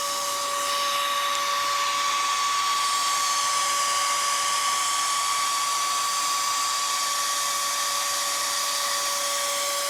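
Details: Dell Optiplex GX280 at power-on with no display, even with drives, RAM and cards removed: loud, steady CPU fan roar with a constant whine, stuck at full speed and never dropping back.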